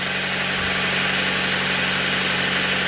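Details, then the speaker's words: Nissan 100NX at idle after work to fix a misfire: steady even idle hum with no stumbles or dropped beats; misfire appears fixed. "sweet as a nut that has got no misfire oh my goodness"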